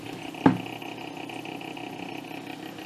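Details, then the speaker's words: Amiga 1000 computer, not stock factory: steady whirring hum with a thin high whine over it, louder than a healthy fan; noisy, worn-sounding power supply fan. "it's interesting you can hear that noise from the fan"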